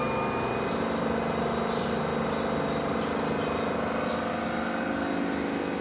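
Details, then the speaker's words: BAAM001 home treadmill after about one year of use, incline 5, at top speed 14: even, steady motor hum with no knocks, scrapes or surges. Motor running normally. "เสียงก็เป็นเสียงมอเตอร์นะครับใช้ความเร็วสูงสุดมันก็มีเสียงหือธรรมดานะนะครับ"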